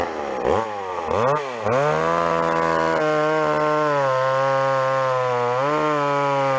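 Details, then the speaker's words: Old McCulloch two-stroke chainsaw after carburetor tuning of the low-speed and idle screws: a few throttle blips, then a steady, even idle with no hunting or stalling. Carb set right; normal idle. "If anything, the low screw could come up a teeny bit, or maybe the idle. Hear that? She's bang on now."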